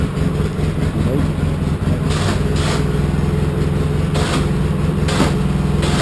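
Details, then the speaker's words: Polaris Sportsman 700 EFI ATV after a new Carter fuel pump replaced a failing one thought to be sending air into the fuel line: steady, even thump holding speed smoothly. No longer gulping or starving. "it's running fabulously compared to what it ran like before smooth that right out it's not gulping starving"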